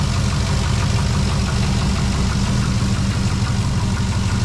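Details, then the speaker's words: 2006 Trailblazer SS AWD V8 with new long-tube headers and retune, cold idle: faint uneven knock about three a second under heavy rumble, goes away when warm; owners unsure whether piston slap; cold idle knock. "It goes away when it warms up. Well, maybe it is piston slap. Piston slap's usually louder."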